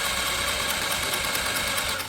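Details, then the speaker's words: Peugeot Tweet 125 carb scooter, after starter motor replacement, first start attempt: rapid, light, buzzy cranking that spins too freely and never fires. Ignition seems faulty (immobilizer suspected); owner worries fast cranking means an engine issue. Cause unconfirmed. "my biggest concern is that it's turning over really fast normally that means there's some sort of um engine issue it's turning you can hear it it's very very fast"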